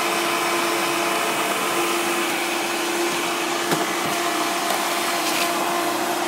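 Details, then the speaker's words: 1995 Hoover Turbopower 3 vacuum cleaner: steady high motor whine with a thin squeaky tone throughout; runs strongly but something squeaks. "and as you can hear that squeaky there um but yeah it runs very well actually"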